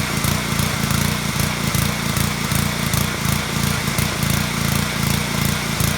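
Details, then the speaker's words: Small-engine pressure washer at idle: the rpm keeps rising and falling in a steady pulsing surge instead of holding even, caused by a clogged carburetor pilot jet starving the engine. "so you can clearly hear that right there RPMs are going up and down like that it's not gonna hurt your engine it's just really annoying when it does it"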